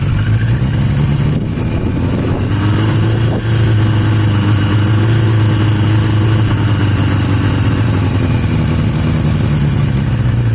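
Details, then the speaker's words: Yamaha XJ750 "Mack" left idling for a few minutes after a carb swap using the XJ650's carbs; a steady, even low burble with no misses or stumbles, all four cylinders firing cleanly; owner suspects some air-fuel mixture issue. "I just want to let it run just want to let it idle for a few minutes"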